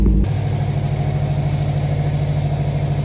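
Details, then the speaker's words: Subaru just after a radiator replacement and coolant refill, started on a weak battery with the heater on full hot to bleed and warm up: after a brief blip it settles into a low, steady, even hum with no knocks or misses, a healthy idle. "On démarre. Oula, la batterie elle est un peu faiblarde."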